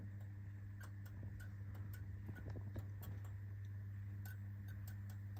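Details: 1988 POLAM 40W T12 fluorescent tube with ballast: steady mains hum broken by irregular sharp ticks as the starter keeps cycling and the tube struggles to strike; hard start, cause not confirmed.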